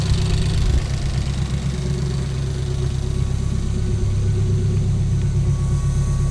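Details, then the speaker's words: Ford Focus race car on its first start after a crash rebuild, cold at 12 degrees outside, settles to a low, steady idle with an even pulse and no knocks or rattles; it sounds healthy. "before she starts it smells healthy yeah she's running"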